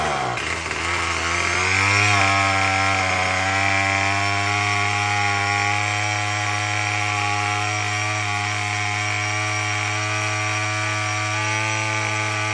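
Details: Murray M2510 two-stroke string trimmer after no-start repair; catches and settles into steady, even high buzz, no stumbling or misfire; running normally.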